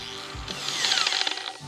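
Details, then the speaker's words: Returned Harbor Freight grinder/polisher running off axis: high thin motor whine with quick irregular ticking inside as it spins; something loose rattling around inside. "Sounds like a rattle can. What is ping-ponging around in there? That's trash."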